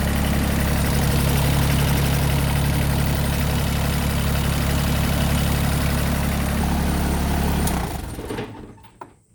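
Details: Massey Ferguson GC2300 compact tractor diesel, just after oil and filter change, oil pressure light going out immediately: steady even idle with regular low beat, no knocking or rattles, then clean shutdown; normal idle.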